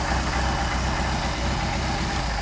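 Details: Mercedes 190SL petrol engine with rebuilt Solex carburettors, hot, after idle mixture screw adjustment: low, steady idle with an even firing beat, no stumbling or hunting; idles smoothly.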